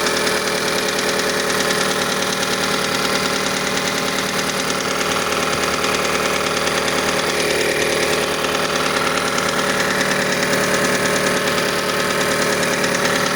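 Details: Mazda CX-5 engine at cold idle: sharp, steady mechanical knocking about three per second, present until about 70 degrees; cause unknown, variable valve timing mechanism suspected, not confirmed.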